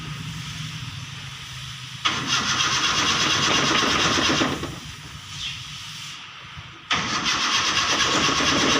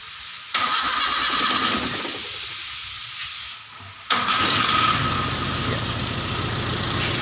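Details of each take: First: Toyota Kijang being rewired at the alternator, started with manual starter because the key is faulty; starter grinds in steady bursts about two turns a second but engine never catches; ignition coil wire found disconnected, no spark. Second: Toyota Kijang after alternator wire repair, battery about 12.7 V: short starter whir, engine catches at once and settles into a steady even idle; clean normal start, charge warning light goes off.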